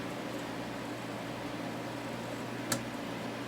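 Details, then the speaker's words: Small unbranded desk fan after servicing: soft steady hum and low whir with one small tick, now aimed downward. The noise occurred only when blowing upward; normal running. "fine blowing downward okay well it's definitely a lot better"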